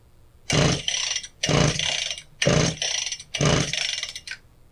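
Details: Husqvarna K760 power cutter, fresh fuel and filter: four recoil pulls with only starter rasp, not even a pop; spark present, so no-start traced to air leak from a cracked intake boot.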